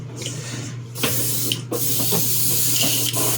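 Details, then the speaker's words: Airbrush tested for spraying after another was found dirty: bursts of steady airy hiss over a low compressor hum, starting and stopping with the trigger; airbrush spraying normally. "Let's see. This one's spraying. It is. Okay."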